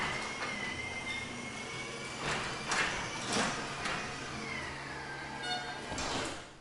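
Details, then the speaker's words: Garage door with belt opener closing before lubrication with white lithium grease: rumbling travel with motor whine and uneven clunks and squeaks; the owner calls it not too bad but wants it quieter. "that's when I close it so it doesn't sound too bad but I still want to make it where it sounds a lot quieter"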